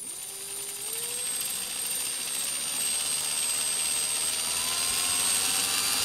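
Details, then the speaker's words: Milwaukee 0435-1 3/8" 12 V cordless drill, circa 1995, after trigger and chuck replacement, running on an M14 battery via homemade adaptor: clean motor whine climbs steadily with the trigger, no stutter. Smooth variable speed. "It's a nice control on that. So, I mean, these old tools, and this was a thing that way back when with these Milwaukee tools, the variable speed was always better on Milwaukee tools than the other tools, and you can just hear how much control you have there."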